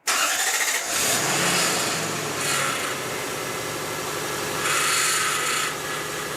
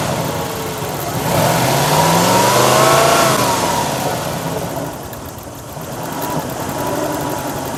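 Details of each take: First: Lexus LS400 first start after transmission sump leak repair, power steering flush and new pump fitted: a high whine swells in waves over the idle as the pump runs dry; foam found in the reservoir. Power steering pump whine from running dry. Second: Lexus LS400 V8, new power steering pump, system just flushed, engine warming up: revs up and back to idle with only faint light pump whine while steering lock to lock; earlier whine gone; power steering pump normal.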